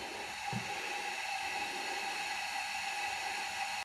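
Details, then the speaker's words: Toyota 1UZ V8 from a sterndrive boat, during a cylinder leak-down test: a steady, even hiss with a faint whistle as compressed air escapes past the intake valve. The owner suspects carbon and plans to treat it with upper-cylinder foaming cleaner. "now we're doing salon leakage leaking intake valve it'll just be carbon all right"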